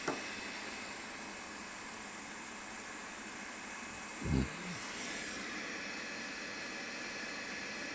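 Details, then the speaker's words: New Creality K1C 3D printer running its self-check before first print: steady loud fan rush with one soft thump midway; normal self-check with loud fan. "this one Fan's pretty loud when it kicks in"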